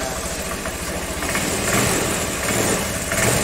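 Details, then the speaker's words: Honda Vario 110, carburettor model, after the cam chain tensioner was tightened clockwise with a blunt-tip impact driver. Steady, even idle with no ticking or rattle. Normal idle, the metallic noise is gone. "Syukur alhamdulillah motornya sudah kembali normal, lancar lagi seperti semula"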